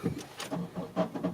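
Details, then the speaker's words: 2001 Honda CR-V, hard starting with a nearly new battery; while cranking, uneven, rough chattering bursts about five times a second, starter grinding. "see that? So hard starting, it seems like the starter is going."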